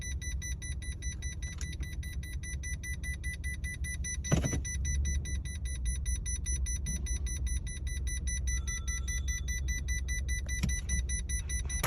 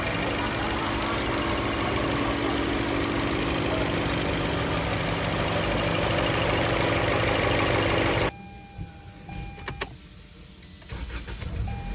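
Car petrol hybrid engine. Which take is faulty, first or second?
first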